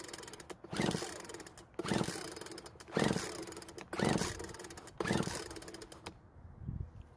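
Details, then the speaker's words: Craftsman leaf blower that suddenly stopped and won't start: rope pulls about one per second spin engine light and easy, some compression but likely too little to run; no firing even with fuel in carburetor throat. "unfortunately it's a bit too easy to pull there's some compression but there may not be enough for it to actually run"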